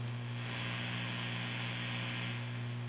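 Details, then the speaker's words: Fender Hot Rod Deluxe tube amp after replacing faulty filter caps, fully assembled at full volume: faint steady low hum with light hiss, back to factory power supply specs. "you can see there's very little to no hum with the amp it's right back pretty much to factory specs for the power supply"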